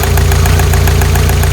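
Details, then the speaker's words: 1985 Toyota Pickup 22R 2.4, warm after 10 minutes idling, after fuel filter change: sharp light ticking about seven times a second from the top end; lifter noise, chain slap or bad guides suspected. "Getting at normal temperature here. It's been idling for about 10 minutes. Got some lifter noise here, or maybe chain slap,"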